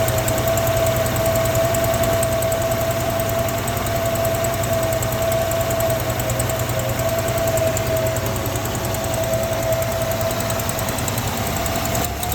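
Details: 1963 AMC Rambler Classic: even idle with a faint, uneven tick about three per second over the engine hum; owner suspects an exhaust leak, not confirmed.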